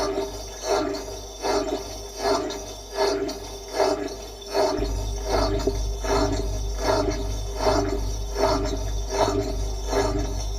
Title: Bosch washing machine drain pump noise.